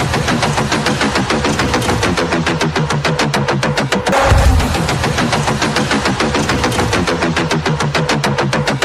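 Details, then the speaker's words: Polarstar Kythera airsoft gun at 130 PSI, after fixes to the sear, disconnector, loose engine fitment, airline and trigger alignment. Crisp evenly spaced shots in a fast continuous string with no stalls while dumping mags. Normal full-auto firing. "finally it's dialed I'm happy with it no issues dumped a couple Mags out of it to really test it running this puppy up with 130 PSI"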